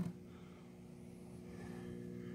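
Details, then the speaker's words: Air Castle vintage vacuum-tube radio warming up after power-on, tubes lighting: steady low even mains hum with no crackle or buzz; normal warm-up hum, healthy set. "and those two light up which is cool huh i could hear the humming"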